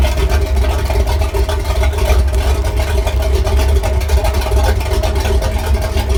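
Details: Sea Ray Pachanga 32 OMC 460 V8 after a tune-up with Champion plugs gapped at 0.035 in and the carb dialed in; exhaust hoses are temporarily clamped. Smooth, even low rumble with no misses or knocks; the idle is set a little high.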